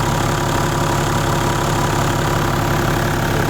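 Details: Toyota 1HD-FTE diesel swap on its first start after wiring and fluid checks; it fired straight away and settles into a steady, even diesel clatter at idle with no misses or stumbles.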